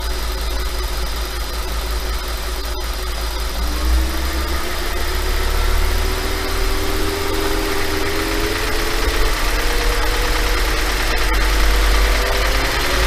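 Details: 5.2 FSI engine at idle held slightly high: fast light clatter over the hum; owner asks if normal, suspects piston slap, unconfirmed.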